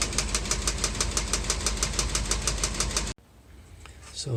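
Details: 1968 Ford 429 V8 in a 1961 F100, after timing cover gasket replacement: steady light sharp tick about three per second at idle; an overlong timing cover bolt is striking the fuel pump arm.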